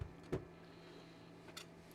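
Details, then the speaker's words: Original Xbox DVD drive: a few faint isolated clicks with no tray motor whir; tray won't open, drive seems to think a disc is inside and the console doesn't seem to boot. "Yeah, this one's got more issues. It makes a clicking noise, but it don't want to open the door."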